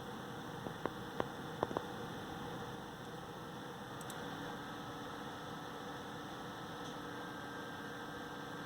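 Steady whoosh with a constant droning hum and a few faint ticks early on; the cooler fan is running noisily, cause unclear.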